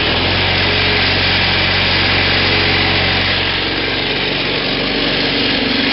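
Small engine racing high and steady with a rough, buzzing rattle riding on every revolution; a bent crankshaft after hitting roots.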